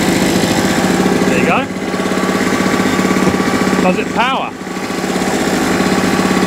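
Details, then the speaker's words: Salvaged small two-stroke generator, after new NGK spark plug and carburetor clean (replacing old plug): putters along at steady, even speed with no misses or surging; normal running. "But yeah, I think also a bit of a clean in there, a bit of contact cleaner in there. But new plug, carburetor clean, and away she went."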